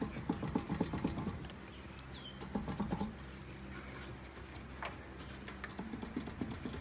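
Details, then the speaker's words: 2002 Acura TL Type S at 306,000 miles, front left (driver side) wheel raised and rocked: quick bursts of dull knocks from play felt in every direction, worn front wheel bearing clunk. "you can hear that noise and feel it no matter where i grab the wheel"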